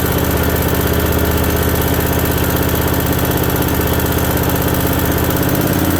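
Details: Briggs & Stratton Vanguard V-twin with head gaskets redone and an oil cooler newly installed, on its first start: a smooth, even, strong beat of about four pulses a second with no knocks or misses. It is running healthy.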